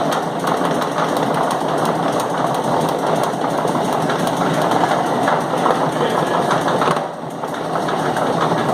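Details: Chain mechanism (LOBC, 18 Feb 2016), chain thought to take about one minute per revolution: sharp knocks recur over busy mechanical clatter, some harder than others, especially loud ones periodically; periodic knocking of unknown source.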